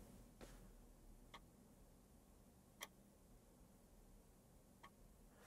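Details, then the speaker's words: External floppy drive for an Atari STE, accessed as drive B: sparse, uneven dry clicks over faint hum as it retries; drive not responding, possibly due to a stiff mechanism or being a 1.44 MB drive. "click click it says drive's not responding we try yes i'll be trying yeah and it's not happy"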